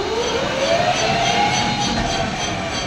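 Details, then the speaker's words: Chinese 3000 W electric motor and controller newly wired into a Jeep UTV conversion, tested with wheels spinning: smooth electric whine stepping up in pitch across speed-switch settings, no grinding; brakes audible; motor healthy. "okay speed switch is working"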